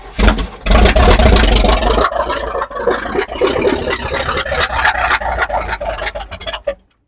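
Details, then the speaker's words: Engine after self-done timing work: it catches and stumbles with uneven firing, hissing from the top and lumpy surges before dying. The owner suspects a timing issue; earlier, with the distributor fully advanced, it ran but pinged. "Personally to me, it's sounding like a timing issue. Of course it's a timing issue. I'm the one that did it."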